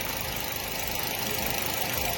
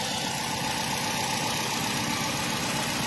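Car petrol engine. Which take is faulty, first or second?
second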